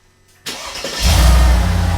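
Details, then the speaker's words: Mercedes SL55 AMG after repair (new AC compressor): quick crank, clean catch and a steady idle with no ticking. The earlier loud noise from the belt-driven pulleys is gone. "holy crap I don't know if you can hear it is night and day difference like the huge noise went away"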